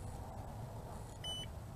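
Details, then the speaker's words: BWINE F7 GB2 GPS drone returning home during test flight: over faint outdoor hum, one short high single beep from the remote controller signalling return-to-home. "right guys there i am it is coming back and the remote control is beeping"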